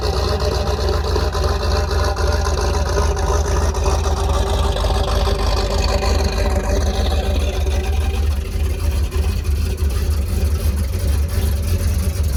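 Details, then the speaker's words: 334 small-block Chevy V8 after break-in, oil change and button-up: deep, steady rumble at a fast idle, even and strong, still needing some tuning; normal running. "still got a little bit of tuning to do but she sounds good doesn't she"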